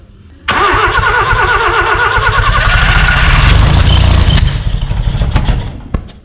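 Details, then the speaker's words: Austin 7 rat rod engine after 15+ years sitting, carburettors uncleaned: catches after cranking and runs rough with sharp pops spitting back through the carburettor; owner suspects ignition timing isn't quite right. "I don't think the time is quite right, but anyway. So, there we go. It actually made some noises."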